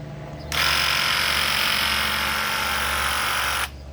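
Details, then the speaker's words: Graco 360 true airless paint gun spraying into a bucket, trigger held about three seconds: a loud hissing buzz with rapid banging as the piston draws paint in and blasts it out. This is normal pumping, not air. "If you hear that banging, it's like a piston in there that's drawing the paint in and blasting it out with a piston. So it's not air. So it's a little loud, but some of them old ones are super loud."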